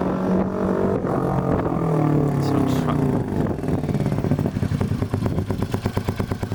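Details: Royal Enfield 350 J-series single after fitting a TEC Stage 2 performance camshaft, ticking over 10–15 minutes for ECU auto-adjust: ragged start, then even steady thumping at slow tick-over, no knocks or clatter; normal idle.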